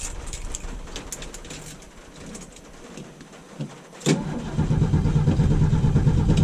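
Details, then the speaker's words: 1975 Mercury Comet with 43,000 miles and Flowmaster exhaust, cold start: several seconds of slow cranking before it catches at around four seconds, then settles into a deep lumpy idle. A reluctant cold starter. "But let's see if it starts. It's a cold start."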